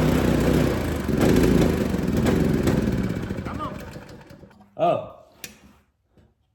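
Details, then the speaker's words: Cheap used small single-cylinder go-kart engine, freshly fueled, buzzing hard and steady at full throttle then easing off; pulls strong with no misfire. "I think we were full throttle right there. That sound good."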